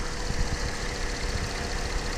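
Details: 2004 Cadillac CTS 3.6L V6 after replacing the PCM to cure a cylinder 3 misfire caused by a faulty injector driver: steady low idle with an even rumble and no stumbles or skips; running smoothly.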